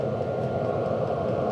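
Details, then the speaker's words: HCalory Toolbox 2 12V diesel heater on 12V DC power station, past glow-plug startup, getting warmer, pulling about 30–45 watts on low: steady even blower hum with constant mid-pitched rush, no surging or sputter; running cleanly. "So it looks like we passed the startup, which is always the hardest to get these 12-volt batteries to work starting up a diesel heater, is that initial startup to get that glow plug hot enough to make this whole process work."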